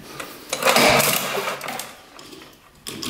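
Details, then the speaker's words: 1960s Ski Daddler snowmobile electric start on a hooked-up battery: brief, high, free-spinning starter whir with no cranking beat; starter motor works but isn't grabbing or spinning the engine. "the motor's gone but it wasn't spinning the engine you can hear it just spin the um not grabbing anything so a locker shirt does work it's just not grabbing"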